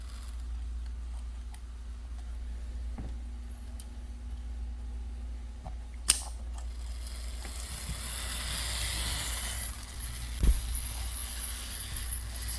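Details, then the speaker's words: Vintage 1950s–60s HO scale diesel locomotive running on track: small motor whir with a faint high squeak, clicks and uneven jerky surges; a track issue is suspected. "squeaky that was a little jerky but holy hell if it isn't going yeah i think we have a track issue over there"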